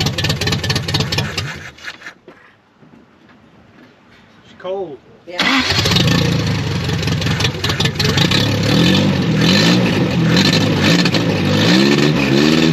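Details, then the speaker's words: 1983 Toyota 22R with a newly installed Flotech short-tube header, open headers with no exhaust fitted: cranks, fires and settles into a loud, raw, deep bark with crackle on throttle blips. "open headers on the 22-hour sound so disrespectful if I was in my 20s I would run it just like that but I like to have conversations in the cab now"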